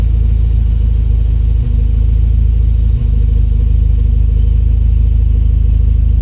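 Deep, uneven idle rumble with a couple of brief stumbles over six seconds; the engine idles rough, cause not known.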